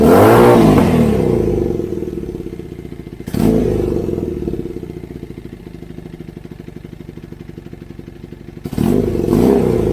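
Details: Kawasaki KZ440 with new custom high-mount exhaust: idle with a quick, steady pop-pop-pop about four a second; exhaust leaking at a header joint only spot-welded, still to be welded up.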